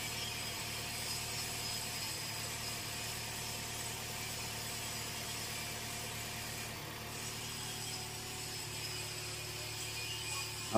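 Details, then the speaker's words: Toyota Innova 1TR petrol engine, which had been vibrating and unable to rev, now idles evenly with a steady hum and no knocking, shaking or uneven beat; smooth idle. "Yah, sekarang sudah tenang."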